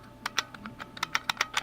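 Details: IBM Model F keyboard from a 5155, after cleaning and rebuild where a spring had fallen inside: crisp, sharp, even key clicks at about six strokes a second; the buckling springs are working normally, unlike the dead keys just before.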